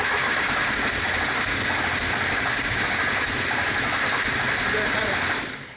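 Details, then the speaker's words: 1973 Porsche 914 with original fuel injection, after fuel line replacement ran 30 seconds then died: steady cranking about three turns a second for five seconds, throttle held by hand, never catches; fuel pressure 30 cranking, 20 after; crank-no-start, cause unconfirmed. "there kind of wants to start but it doesn't it won't run"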